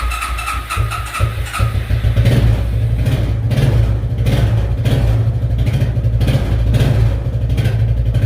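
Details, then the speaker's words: Suzuki ATV barn find, unused 10+ years, started on fresh fuel with full choke: low, steady single-cylinder chug settling into an even idle as the choke comes off; normal idle. "10 plus years guys 10 plus years and she's running that's awesome"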